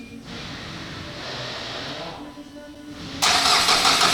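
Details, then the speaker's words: 2008 Renault Kangoo 1.5 dCi K9K diesel after cylinder head refit and timing belt replacement, first start after fuel bleeding: sluggish, uneven starter churn about three turns a second, labouring before it catches; battery running flat, put on charge. "так само ногу бачить на одненькій є і акумулятор як завжди хоче сісти"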